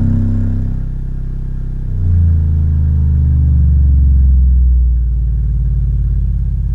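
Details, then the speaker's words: Miller & Kreisel V-2B subwoofer amp after all failed electrolytic capacitors replaced (constant buzz fixed), playing through a small six-inch test speaker; deep clean tone stepping down to 15 Hz then under 10 Hz, no buzz; sounds perfect. "there's all the way down to 15 hertz and that's all the way down to under 10 hertz the thing sounds absolutely perfect"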